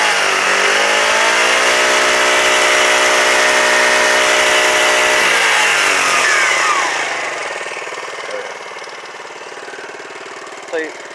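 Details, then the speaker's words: Quad after clogged carburetor idle circuit cleaned, safety brake switch replaced, rev limiter removed, new chain and sprockets, oil change: steady, even smooth idle with no surging; previously idled briefly then revved up and down. "So, but now you hear it. Nice smooth idle."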